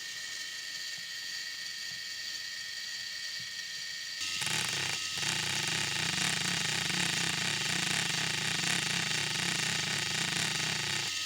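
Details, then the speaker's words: RC crawler axle "CV" joint recorded with an extra mic: a steady whirring gear train turns harsher and pulses "wah-wah" once steered hard, worse with more angle. The joint speeds up and slows repeatedly per revolution, non-constant-velocity like a universal joint. "remember this is slowing up this is speeding up and slowing down eight times per Revolution can you hear that and it gets worse the more angle you put on it"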